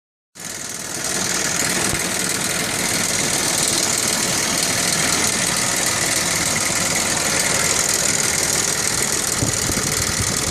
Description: My 1998 Audi V6 2.8 5V running idle with lots of noise coming from the valve cover driver side front part of the engine. This is NOT how it is supposed to sound! Maybe chain tensioner fault?